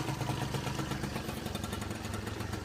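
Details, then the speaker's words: Peugeot Speedfight two-stroke scooter after no-start fix (wrong stator coil fitted, fuel filter), cold workshop, kick started with smoke: busy, slightly uneven putter settling to steady idle; runs fine, electric start still not working. "not bad at all, is it? So, there you go, well done. Quite happy with that."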